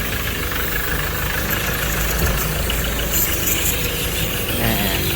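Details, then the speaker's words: Ford Ranger T6 2.2 diesel at about 300,000 km, no power and heavy smoke from the breather and dipstick, engine loose. Heavy idle with a loose rattly knock at engine speed, a worn engine knock with blow-by. A same-model Ranger runs without smoke. "ในรุ่นของfordranger2.2ที่6กับอาการนี้นะครับเร่งรถไม่ขึ้นมีควันออกมาเยอะแล้วก็ท่อระบายไอมีไอพุ่งขึ้นมานะครับ"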